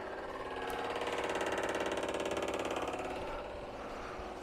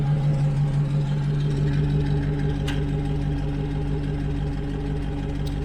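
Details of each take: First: 1970 Morris 1300 ADO16 barn find, ignition on, electric fuel pump at the rear pumping fuel out of the tank: loud fast mechanical ticking, about three or four clicks a second, pretty noisy. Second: 1970 Morris 1300 ADO16 barn find, engine idling after new fuel lines, with two isolated ticks from the SU electric fuel pump; normal, quiet once running, no leaks.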